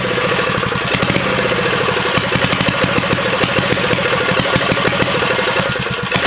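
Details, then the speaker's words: 1970 Rupp minibike with small engine: it pops and sputters unevenly when opened up and won't rev cleanly, a stumble at full throttle; owner unsure whether it is the 20-degree issue or needs better tuning. "Yeah, you give it full throttle and it just farts. So I don't know if that's the 20-degree issue, or, you know, if I could tune it a little better."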